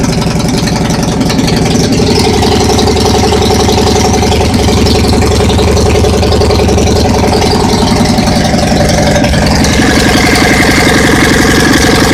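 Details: Dnepr boxer twin first start after overhaul (Almot pistons 79.00 mm, reworked heads with bronze guides, new 10-36 camshaft, 3.2 kg lightened flywheel, new Corteco seals): steady even beat with firm low thrum, no knocks or rattles.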